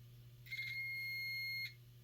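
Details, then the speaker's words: Multimeter continuity-checker beep: one steady high-pitched beep over a faint hum while testing the fan ground tabs in an amp case, after a fan ground fault suspected from a poor heat-shrink wire joint; there is continuity. "That's, you hear that? You have continuity."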